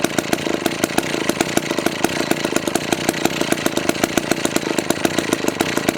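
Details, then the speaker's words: McCulloch 1-42 project chainsaw, two-stroke, running with crisp, rapid, even firing, steady with no misses or rattles before cutting; normal, healthy running. "that sounds pretty good think I'm gonna have to try and cut along so be"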